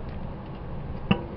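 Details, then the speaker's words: 1975 Datsun 280Z EGR system: with the control valve coil energized and vacuum applied, one crisp click as the EGR valve snaps open and the diaphragm pulls up, recirculating exhaust gases; operating normally. "so with the coil energized the EGR is is opening up and recirculating exhaust gasses"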